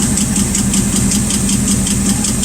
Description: Working on Rat Rod engine for doing a DIY self help to help others out there "THANXS FER WATCHIN" FOUND OUT. WAS A BENT "PUSH ROD" FOUND OUT BY TAKIN VALVE COVER OFF !!!!! " INSPECTION"